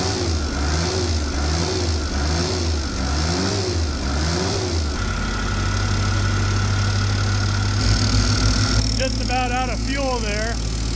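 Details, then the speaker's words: Mustang skid loader tired engine just started, governor linkage unhooked: hunts up and down in a slow wavering rhythm, then flat drone, until running out of fuel; rough, smoking black. "It is a runner. Um she's got a smoking problem. Little bit of black lung action, I think."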